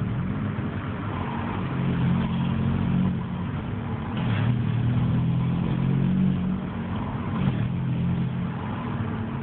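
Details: Opel Astra G: engine pulling under throttle with an uneven rough drone and faint irregular rattles rising with load while accelerating; cause can't be pinned down.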